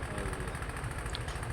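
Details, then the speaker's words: Honda Vario carburettor scooter, piston and oil pump replaced three months earlier, running coolish at idle: dull regular knocking from low in the block with visible smoke; piston slap from a scored piston, repair deferred by owner. "Cuma ini masih ada suara kemelitiknya teman-teman, karena ini dari suara piston yang baret ya."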